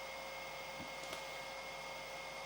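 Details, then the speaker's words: Amiga 600 cooling fan with the cover off: quiet airflow hiss with a constant thin high-pitched whine; still whiny. Owner plans a 27-ohm resistor on the positive fan lead. "it's quieter I mean it doesn't feel so bad it still feels a bit fussed and whiny but then again saying that the cover is off this time"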